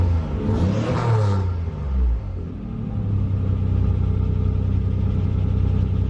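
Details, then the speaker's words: 1988 Nissan 300ZX Z31 project car with cutout exhaust, first start after 4–5 months, in neutral, heard from inside: a brief rev settles into a low, slightly uneven idle with a faint stumble; owner suspects old gas. "Thing's purring. It's as if I hadn't, you know, runs a little rough."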